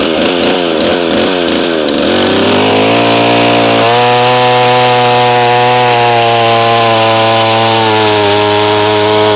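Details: McCulloch SP-125 chainsaw (about 33.5 lb with full tank) on a .028 jet, two sizes smaller: it bogs into the cut, then holds a high, thin, steady scream under load; possibly a tad lean but cutting much better.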